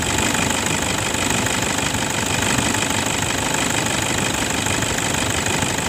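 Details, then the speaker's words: 2011 Toyota Fortuner 2KD 2.5 diesel after replacing the worn belt tensioner assembly and idler bearing for a rough engine noise: steady idle with even injector clatter, about three beats a second, no whirring or rattling from the belt side; now much smoother. "oh 3S sekarang suara mesinnya jauh lebih halus"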